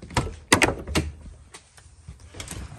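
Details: Power liftgate on a 2007-2013 GM SUV (Suburban/Tahoe/Traverse/Equinox) after replacing the liftgate actuator latch: a few firm latch clunks and a short motor whir as it closes, smooth with no grinding; liftgate working normally.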